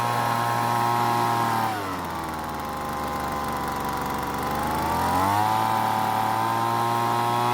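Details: Weed Eater leaf blower after long storage, carburetor L and H screws richened, H set just past max speed: crisp steady two-stroke buzz that sags briefly and climbs cleanly to full speed; mixture sounds right.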